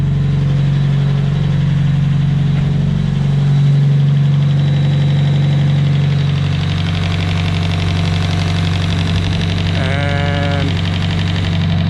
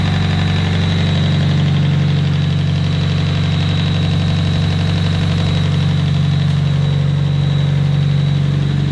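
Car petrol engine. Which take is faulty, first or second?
second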